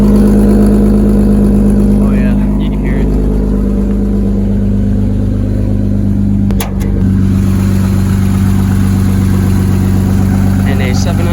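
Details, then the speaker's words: 1988 Toyota Supra 7M engine, cold start: steady idle with a faint fast puffing tick, about four per second, on the exhaust note; owner points to an exhaust leak up front. "probably hear the exhaust leak. It's somewhat up here"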